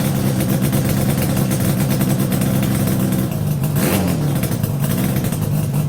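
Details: Yamaha RD350YPVS F2 after a full rebuild (bearings, seals, rebore), plugs now tightened: a smooth, quiet two-stroke idle with a steady low burble and one brief throttle blip, settling straight back evenly and sounding healthy.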